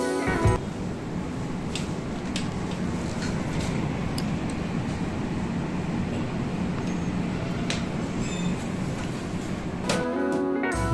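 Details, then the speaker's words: Split air conditioner indoor unit after fan motor extra noise was fixed: soft, steady airflow hum, no rattles or grinding, now running smooth and quiet. "AC which is there has become very smooth and now there is no sound in this AC at all"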